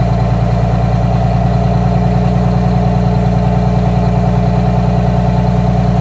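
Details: 1962 GM 4106 bus with a Detroit Diesel 6V92 TA, started right after a fresh oil change: deep, steady two-stroke diesel idle with an even low drumming pulse around 200 a minute, no knocks or misses; runs healthy.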